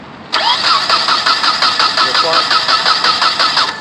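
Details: 1997 Nissan Altima crank no start after a fuel fill-up: steady cranking about three turns a second, never fires; spark reaches the cap but distributor rotor appears burnt, suspected cause bad rotor.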